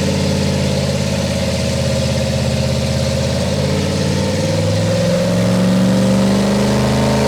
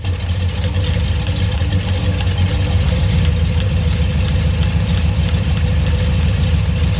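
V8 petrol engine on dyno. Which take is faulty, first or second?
first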